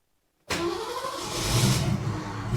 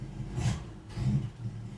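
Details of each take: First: 1973 Ford Maverick stored five years, carburetted, near-empty fuel, with a new starter fitted after wear on the new flywheel: starter engages cleanly, engine catches and revs, a bit rough and choking; normal cranking and start. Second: 1973 Ford Maverick, long parked, first start with a new starter, carburetor untouched and the fuel gauge near empty: low, uneven rumble surging in irregular bursts, choking out. Owner suspects carburetor problems.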